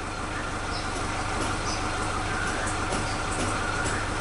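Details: Suzuki Katana engine, warm, idling after the faulty old spark plug wires were replaced with a cheap new set: steady, even, flat and constant beat with no stumbles; normal idle.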